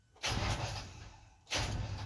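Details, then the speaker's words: Ashok Leyland dumper (1215 T) after sitting a day or two: two short cranking bursts about a second each, turning over but never catching; battery reads 11.9 V, weak battery suspected. "नाही नाही होतय चालू battery power किती आहे 11.9 no व्ल्टेज"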